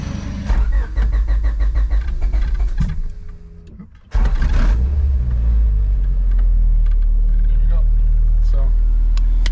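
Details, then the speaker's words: Honda Civic EG8 with swapped B16B Type R engine, rarely driven, started on a battery from another Civic: brief crank, pause, then it catches cleanly and settles into a steady, even idle; healthy start. "Fires up, new battery, well, my battery from my Civic. So let's take a look at the engine. Running fine, sounds healthy."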